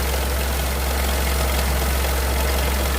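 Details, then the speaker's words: Idling Dacia Sandero 0.9 TCe three-cylinder with busy metallic chatter over a deep, uneven hum from a slack timing chain, before replacing the timing chain kit and oil pump. "Ça c'est la chaîne qui est détendue enfin qui est connue là-dessus."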